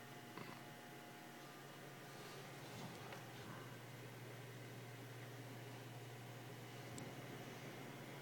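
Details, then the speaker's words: PC case: a quiet, steady low hum with faint clicks from a vibration inside the case; the owner suspects the motherboard but the source is unconfirmed. "definitely it sounds like it's coming from the motherboard but I have no idea"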